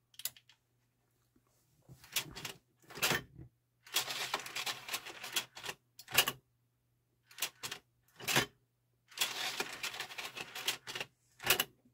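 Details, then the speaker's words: Denon UD-M50 three-disc CD changer at power-on, faceplate removed: irregular bursts of whirring and clattering over about ten seconds, the changer's normal initialization cycle every time power is pressed. "now that's what it does every time you press power right"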